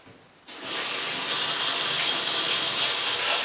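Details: Hotpoint Ultima WT960 washing machine, cottons 60 test wash at start: valve opens and a steady loud hiss of water rushes in, no knocks or grinding; normal fill.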